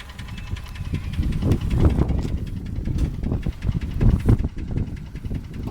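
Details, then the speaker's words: Toyota 1KR-FE engine at a rough low idle with uneven knocking about four times a second. Shaking is blamed on bad fuel and an ECU not yet recalibrated after reset. The knock doesn't affect acceleration or power; cause not found. "Итак, вернемся к главной проблеме — двигатель начал стучать. Я долго размышлял, собирал информацию о том, что, чёрт возьми, происходит. Оно стучит, оно точно стучит."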